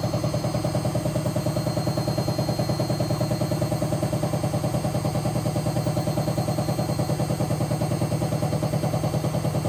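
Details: Hotpoint BHWMXL145 washing machine test spin: heavy, very even thumping about 146 times a minute with each drum turn; two drum spider arms snapped and drum cracked at the back, letting the drum knock, not the bearings.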